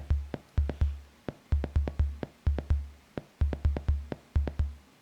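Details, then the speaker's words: Soundmaster SD-3 Disco Beat on a bench power supply: kick and snare thuds only, with no hi-hat at all; the hi-hat voice is dead. "there is no high hat whatsoever the only thing you hear is the thuds from the kick and the"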